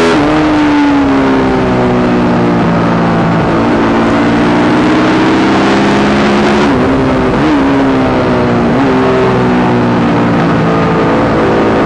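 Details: YZ450 single-cylinder engine in a supermono race bike on track: note stumbles and dips several times instead of climbing cleanly; constant misfire under load, worse after a couple of laps, cause unknown despite changing carb settings, fuel tank, filter, breathers, ignition, coil, generator.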